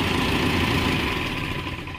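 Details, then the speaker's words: Mahindra Max BS6 diesel pickup after a snapped alternator/fan belt drained the battery, with the water pump replaced (myTVS part). The diesel catches and settles into an even clattering idle, no knocks, squeal or misses. Normal start and idle after repair. "ইনশাল্লাহ গাড়ি আমরা start করছি। এবার মার গাড়ি start কর। গাড়ি কিন্তু ইনশাল্লাহ স্টার্ট।"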